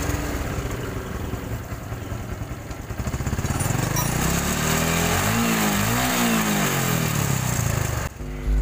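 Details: Honda Supra X 125 new injection: smooth at normal idle, but opening throttle to about 3000 rpm brings a rattly, gravel-like clatter from the left/magneto side, then drops back; slack cam chain from a weak tensioner.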